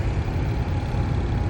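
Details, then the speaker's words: Carrier heating unit on a no-heat call (thermostat set 80, room 64): loud, rough droning blower motor, likely worn motor bearings; a burnt wire, suggesting excess current draw, was found as the culprit. "And you guys hear that nasty noise in the background already. So that already sounds like the motor uh bearings are definitely wearing out."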